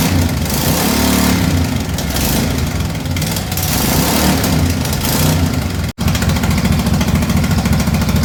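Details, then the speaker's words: MX-1 racing mower engine with new fuel system, before valve adjustment: uneven, stumbling beat that surges and dips after a long hard start. Owner suspects the valves need adjusting. "It runs quite well, I think it, but you could see how long it took me to start it, and that's why I'm quite certain that I need to adjust the valves."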